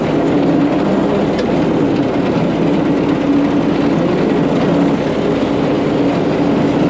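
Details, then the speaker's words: About 100-year-old Caterpillar grader, after fitting a $55 part, pulled back into the shop after a test drive. Loud, steady, even engine drone with no misses, knocks or surges; carburetor shows no leakage. Normal, healthy running. "all right we just pulled The Grater back in the shop it's running so so good I'm so happy right now"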